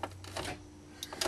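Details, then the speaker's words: Mercedes Sprinter van that won't start: key turned, a few sharp dry clicks heard coming from the engine, no cranking or catch; click, no start (it started on a later attempt). "Ah, it's doing it. There we go. There you go. Heard a click coming from the engine."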